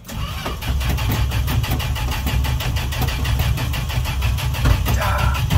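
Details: Old truck sat at least two weeks, warm June evening start on booster: steady even starter cranking but engine never catches; pedal pumped, owner suspects no gas in the carb bowl, fuel supply suspected.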